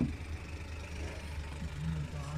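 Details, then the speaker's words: 2014 Suzuki Every three-cylinder after fixing cylinder 1 misfire code P0301, traced to a leaking valve seal inside the engine: steady low idle with even unbroken rumble and no stumble, normal idle. "अभी गाड़ी का जो engine हमारा stable खड़ा हो गया बिल्कुल कोई मीटिंग नहीं है कुछ भी नहीं है"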